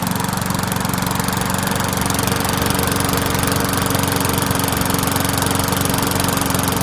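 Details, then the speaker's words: Murray 20-inch mower, 4.75 HP Briggs & Stratton, after clearing hydrolock from overfilled oil: running steady and even at a fast regular beat, no misses or knocks, smoky while burning off oil; normal running. "So, I just did a preliminary start. It did start. Everything's back in place. What I'm going to do now is I got to run it so it burns off all the oil. It's going about to get really smoky."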